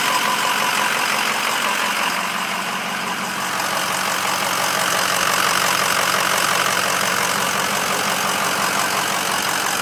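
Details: 2006 Ford 6.0 Powerstroke V8 diesel at idle: steady sharp knock about three times a second over the diesel clatter.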